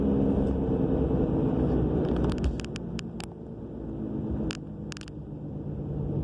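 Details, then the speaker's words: 2000 Subaru Legacy AWD with new brakes, calipers, rotors and wheel bearing: while slowing to a stop, low road rumble with bursts of light scratchy rubbing from the rear. It comes alongside a roaring noise; cause unknown. "stopping again. There's definitely a rubbing noise. Like a little scratchy."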